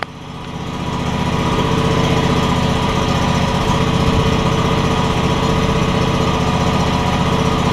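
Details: John Deere X300 mower after control module replacement for a no-spark problem; about to be driven forward and backward to check it, runs great. Steady, even single-cylinder drone at constant speed, no misses, surging or knocks: normal running.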